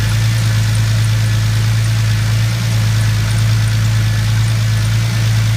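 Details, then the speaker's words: 2000 Lincoln LS after fuel filter change, no leaks: steady, even low idle with no misses, knocks or hunting; fuel pressure about 30–31 psi at idle. "So sitting at idle, it's sitting at about 30, 31."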